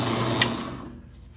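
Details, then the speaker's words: AMMCO brake lathe disk feed gearbox running: light fast rattle because the PTO is not aligned on the center line of the pulley's rotational axis; correctable by adjusting gearbox position; rattle affects cut quality. "ok this rattle comes from this not being lined up perfectly this little part right here needs to be lined up right on the center line of the spinning axis of this pulley"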